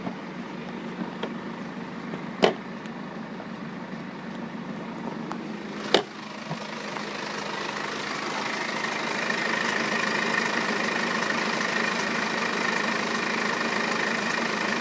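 Diesel idling with a steady clatter and a thin metallic rattle-whine that grows louder partway through. Cause suspected, not confirmed.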